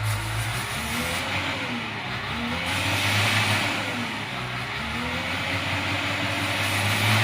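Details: CAT 950H wheel loader with error codes 36-274-4 and 30-428-3: when revved, the diesel's pitch rises and falls in uneven waves instead of holding steady, unstable like misfiring; a sensor problem is suspected.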